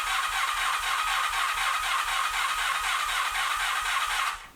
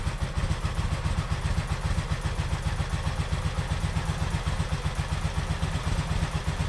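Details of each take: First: 1986 Honda VF700 Magna, first start after fuel system flush and carburetor cleaning: steady starter whir with even cranking pulses about four a second and no firing. Extended cranking to get fuel to all four carburetors. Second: 1986 Honda VF700 Magna V4, first run after fuel system flush and carburetor cleaning, took cranking to fill all four carbs; steady even idle with quick regular firing pulses, no misses or stumbles; normal idle.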